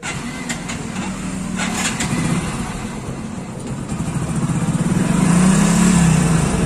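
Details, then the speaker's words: Hero Splendor Plus single-cylinder, free-revving at full throttle off load: revs smoothly and steadily with no missing or jerks; the bike misses under riding load. "Taking the whole Accelerator no one is missing You must be feeling this time there is no problem So you hear the sound of the engine When we give a full Accelerator inside the bike No missing or jerks on the bike"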